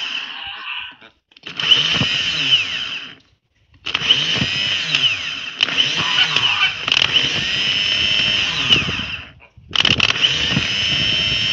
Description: After the starter decided to run constantly when the battery was connected, i disconnected the ignition wire from the solenoid to see if the starter still kept running. It did, so that ruled out the ignition.